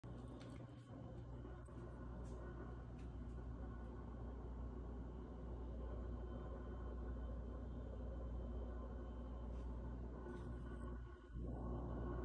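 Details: New GE fridge, model PZS22MYKFS, about one month old, has a low, steady hum with an uneven, choppy spurting sputter and faint clicks. It has made this noise since it was first plugged in.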